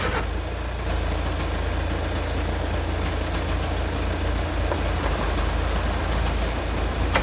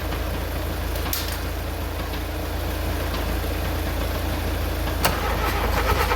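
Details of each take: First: VW Mk2 Golf engine sitting unrun for 20 years, cold morning around -2 °C: long uneven cranking without catching, a few sharp bursts near the end; hard to turn over because fuel was escaping, fuel fed manually. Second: VW Mk2 Golf petrol engine, first start in 20 years, cold morning around -2 °C, fuel fed by hand: catches and settles into a steady low idle with an even beat and no knocking; running normally.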